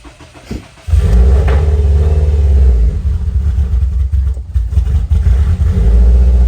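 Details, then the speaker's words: Subaru WRX STI after COBB stage 2 off-the-shelf tune: engine fires and runs with a deep, uneven beat and dipping, lumpy idle; running rough after the tune, cause unknown. "yeah it doesn't sound good I'm gonna have to call a cab tomorrow and see what they tell me because she doesn't sound very good"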